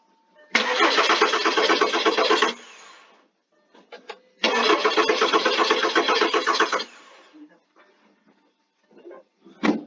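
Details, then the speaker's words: 2008 VW Beetle with code P0322 (camshaft position sensor): two cranking bursts of about two seconds, even churning at roughly four beats a second, never catches. Oscilloscope shows the sensor not pulling to ground, so the cam position sensor has failed. "this sensor just quit look at all right I guess that's that's the confirmation that you know your sensor is bad"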